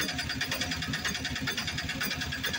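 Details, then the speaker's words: BS4 auto-rickshaw engine that needed very long cranking to start, after a tappet setting adjustment fixed it. It starts on one press and settles into an even, steady putter with regular firing beats and no knocks. "एक बार फिर से engine हमारा perfect तरीके से start हो रहा है"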